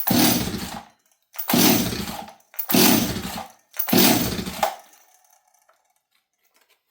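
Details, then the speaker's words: Stihl 026 chainsaw left sitting three days, on full choke, with the tank vent checked and parts new. Four rasping pulls fade without the engine catching; it cranks but won't fire. It has long had worsening starting problems; cause unconfirmed. "This thing will not start regularly, and I've been having more and more problems with starting."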